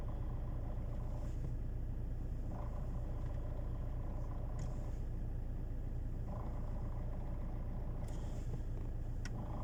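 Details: Alfa Romeo 159 1.9 JTDm 150 hp (110 kW) diesel at idle with clutch released: low, rough rattling rumble pulsing about three and a half times a second from the gearbox; gearbox rattle, cause unknown.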